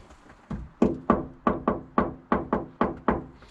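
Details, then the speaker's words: Knock test on the untreated rear wheel arch of a Peugeot Expert camper-conversion van, which has no sound deadener yet: about nine sharp knocks, each with a hollow, echoey ringing tail. An undamped panel. "You can hear the echo big time. I don't know what this is like. That's my watch as well, isn't it? Yeah, it's very echoey."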